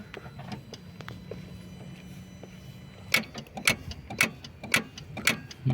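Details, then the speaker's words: Opel Astra G 1.9 CDTI automatic, no start: starter solenoid clicks sharply about twice a second, six clicks, with no starter spin or cranking; burnt solenoid contacts not closing. "втягующе щолкає добре але не заводиться"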